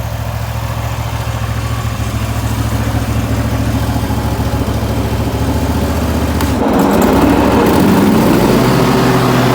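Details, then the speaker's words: Restored Wright Stander X mower started up outdoors after its revival: an even, steady putter at idle with regular firing, then a smooth rise as the throttle opens; the engine runs healthy. "So I'm sure you guys are wanting to hear this thing run, so let me go ahead and start it up for you."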